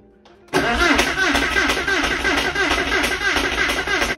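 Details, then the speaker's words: Flood-damaged Porsche 968 restoration, first start attempt after fuel flush: starter cranks steadily, about three turns a second, but never catches; owner suspects relays installed incorrectly. "yeah so it's not starting I think at least because I made a rookie mistake and that's to put these in incorrectly"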